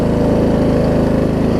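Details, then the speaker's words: Murray Select 42-inch 16.5 hp riding mower, just started and warming up: even rapid single-cylinder putter at steady idle, no misses or surging; normal idle. "It's kind of cool. If you hear it warming up, it'll smooth out."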